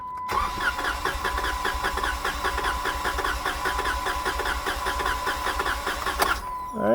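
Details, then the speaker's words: 2017 Jeep Wrangler 3.6L with cylinder 2 misfire, compression test with plugs out: uneven cranking about 100 strokes a minute with a steady whine; first cylinder stops at about 80 psi, about 60 psi below 140. "just about a good amount of cranking and as you can see it stopped about 80 psi so that means that we have about 60 psi difference from 80 to 140"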